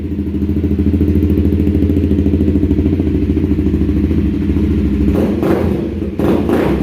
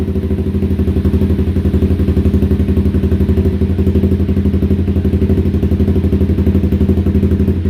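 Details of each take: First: 2016 Honda CBR300R with about 3,000 miles, first startup after repair for bogging, stalling and rough idle: even, steady idle with a clean throttle blip, no stumbling or hunting; running normally. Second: 2016 Honda CBR300R with bogging, stalling and rough idle, after adding fuel: a fast, pulsing, strained idle that keeps almost dying while trying to stay running. The cause is a clogged fuel injector.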